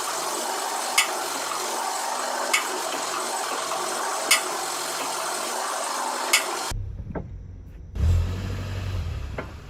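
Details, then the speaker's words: Vehicle disc brakes as the wheel turns; scraping rush with a sharp tick about every 1.5 seconds from high friction between pads and dirty or rusty caliper slide rails; brake pads sticking. "Esto es porque hay mucha fricción entre las pastillas y el riel donde ellas se desplazan."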